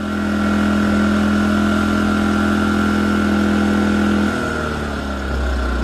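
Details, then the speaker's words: A-iPower inverter generator in idle mode after carburetor main jet cleaning, producing 124 V at 60 Hz: steady low hum dropping smoothly as space-heater load comes on then settling, normal idle. "Idle mode is working great."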